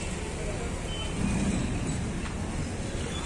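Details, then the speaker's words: Tata Vista diesel with fault code P0193 fuel rail pressure and starting problem, after fixing pressure pump and fitting filter; steady low diesel rumble, no misfire: normal idle after repair. "तो आप देख सकते गाड़ी तो start हो गया है"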